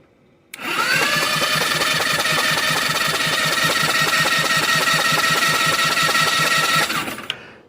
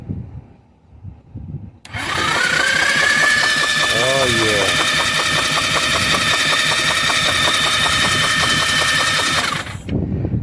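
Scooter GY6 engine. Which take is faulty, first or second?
second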